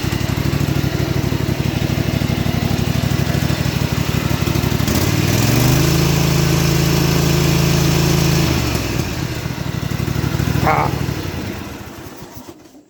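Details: John Deere GT235 lawn tractor with new PTO and muffler, cold start without choke: catches, settles into an even putter, revs smoothly and drops back to idle with no misfire or knock; healthy running.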